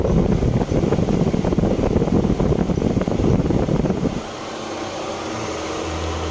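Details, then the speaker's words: Car electric radiator fan powered directly through a 14-gauge jumper wire between the two power pins: strong even whir of air, winding down to a quiet hum when the jumper is removed; fan works normally. "Aquí está el puente con un cable calibre 14 y ahí está el ventilador funcionando"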